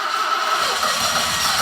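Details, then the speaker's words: Barn-find BMW stored since 2001, new battery, stale fuel and likely seized fuel pump, fed brake cleaner into intake: loud hissy rush with uneven low pulses as it cranks and fires briefly, then catches fire. "but if we can get a bit of brake cleaner up its nose and turn the key it might fire for a brief moment for us to be able to hear it"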